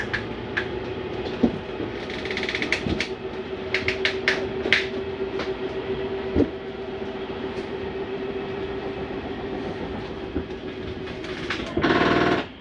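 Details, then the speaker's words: Prowler 303BH travel trailer, slide-out retracting, mechanism on the bottom of the slide: steady motor drone then a brief louder grinding surge as the slide bottoms out; normal end-stop noise keeping it from coming in too far. "you hear that noise, it's okay to hear that. That's the slide mechanism keeping itself from coming in too far."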